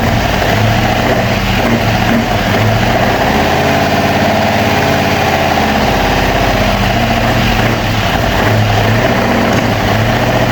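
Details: Opel Manta hatchback with Ascona front end, first start after about 20 years sitting, camera at the front; uneven, lumpy idle whose beat stumbles now and then, a little missy: misfire, cause unconfirmed, points and distributor to be checked.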